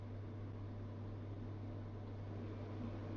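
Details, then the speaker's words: Elica SHY-BLK-90 angled-glass cooker hood, newly fitted, on fan speed 1: low fan whoosh over a steady, deep, unchanging hum; an odd drone from the extractor. "now you can hear the fan up there but also you can hear a bit of a it's I can't explain that"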